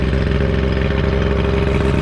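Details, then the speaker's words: Restored 13ft Delta T850 race boat "Code Red" outboard on first water test: steady, even low idle with smooth regular beat, no knocks, misses or hesitations; running healthy, though the key won't shut it off (wiring suspected). "Motor seems to be running great though. There's no It sounded good. hesitations in it. Sounds good. It's idling nice."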